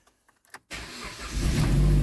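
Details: 2010 Jeep Compass after a no-start traced to a corroded ASD box; throttle position codes present: a few faint clicks, then it catches at once and settles into a smooth idle; healthy start.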